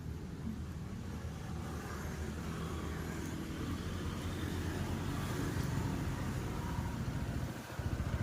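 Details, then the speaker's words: Honda PCX160 scooter at 27,000 on the odometer, idling after a genuine drive belt replacement and a CVT (side case) cleaning with an added tweak; previously clattered like a flapping belt and knocked on throttle, now a smooth quiet putter. Normal idle. "ปกติเนี่ยคือมันจะกราวเลยกรึกๆๆๆๆๆๆคล้ายๆอาการสายพานสะบัดอ่ะคล้ายๆเสียงสายการอาการเสียงสายพานสบัดแต่อันนี้เงียบเลยนะ"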